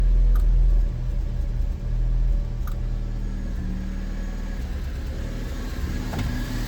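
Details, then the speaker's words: 2006 Fiat Panda 1.2L petrol at idle with a misfire: lumpy, uneven rumble, and clicking audible from one of the two ignition coil pack boxes; a failing coil pack is suspected before replacement. "I don't know if you can hear, but with the misfire you can actually hear clicking from one of these two boxes."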